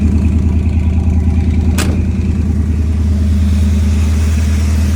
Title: Does anyone know why it’s making this noise when I go into neutral? also sometimes when I’m driving